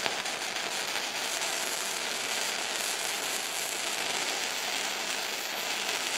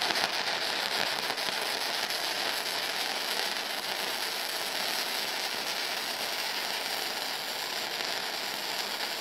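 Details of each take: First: Firepower FP-200 MIG welder, first test weld with wire speed set by guess: even, hissy frying crackle; bead started a little cold, and wire suspected of feeding too fast, so adjustable run-in may need adjusting (not confirmed). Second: Firepower FP-200 flux core welder, second test weld on eighth-inch plate at low end of recommended settings: steady, even bacon-frying crackle without pops or gaps; consistent arc, bead judged slightly on the hot side.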